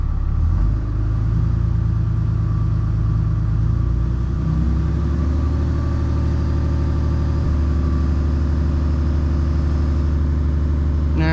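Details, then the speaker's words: Freshly rebuilt 6.7 Cummins diesel during break-in, warming up for hot retorques with the AC on to add heat: a deep, even rumble that steps up partway to a steadier, faster drone and holds; a normal high idle. "All right, we'll get this backed out and get it high idled. And while it's sitting out there warming up, we'll get our tools ready so we can rip this thing apart and retorque everything."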